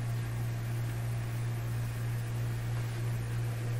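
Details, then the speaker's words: RCA Victor A38 shortwave tube radio during IF-stage paper capacitor replacement: a constant low drone near 120 cycles, double 60, that never changes level, judged to be 60-cycle mains hum in the audio output. "i think that really tells us it's a 60 cycle hum in the output"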